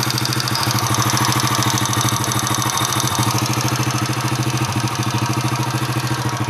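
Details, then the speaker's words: Honda Astrea Impressa motorcycle (Grand/Supra/C100-type engine) warming to about 60–62: light, fairly even tick about three per second on the exhaust beat, appearing from 60 and worsening with heat and throttle; source being located. "ini kalau kita gas atau semakin [Musik] panas semakin muncul"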